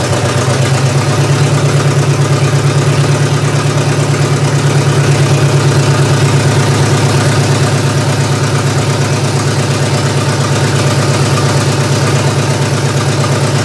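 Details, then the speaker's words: GM 3100 V6 swapped into a Camry derby car, first start-up after correcting firing order: steady low idle with uneven lumpy pulse about three per second, running better but still rough; owner suspects nearly two-year-old gasoline. "well I've got it running better it still doesn't sound that right to me I know there's a couple issues still with this one being that gas is almost two years old so I think that's one of the big things that's wrong with this right now"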